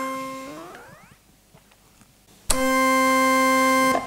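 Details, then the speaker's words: 1964 Farfisa Combo Compact organ after oscillator and tone-generator repair, warmed up about 1.5 hours: note returns at once after switching off and on, at a clean steady pitch with no sliding; tuning stable when warm. "so you can hear that if I switch it off and switch it back on again it comes back back on at the same pitch"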